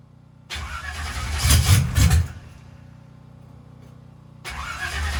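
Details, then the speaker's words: Turbocharged engine on its first fire-up after a teardown, only about 1 lb oil pressure: steady low cranking chug about four beats a second with no catch or firing; extended crank, no start. Owner suspects the fuel has lost its prime. "Typically this thing fires right off. That's the great thing about the 60-1 or whatever that thing's called. And I have a pretty wide range that thing can be in at. Maybe the fuel has lost its prime. It's kind of what it's acting like."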